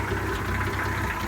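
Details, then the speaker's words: 1966 Ford F100 idling with a steady, quick click-click ticking knock over the idle that doesn't change; repeated knock at idle, source unknown, oil pressure seems good. "You can hear that click, click, click, click, click. Don't know what it is."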